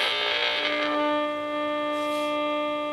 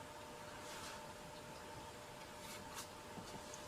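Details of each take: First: Restored early-1970s Graymark 511 all-band regenerative radio: clean, steady modulated test tone comes through loud and stable with no hiss or squeal once regeneration is backed off; receiving properly. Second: Early-1970s Graymark 511 all-band radio, first power-up after decades stored: steady low hum under faint speaker hiss; mains hum from failing electrolytic filter capacitors, which need replacing.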